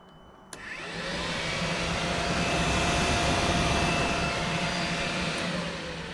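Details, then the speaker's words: Yamaha R1 motorcycle after fitting a Blinder forced-run fan switch, ignition on: a sharp click, then the radiator fan spins up into a smooth, steady whoosh that holds even; fan working properly. "entend bien la soufflerie qui se met en marche"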